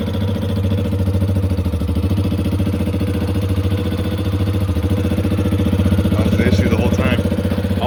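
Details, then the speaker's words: 2021 Yamaha XT250, 252 miles, sat since 2022; after fuel system work and priming the fuel pump, a steady, even single-cylinder thump at idle, no misses or stumbles; normal idle. "I'll let it warm up a little bit then I can start revving it"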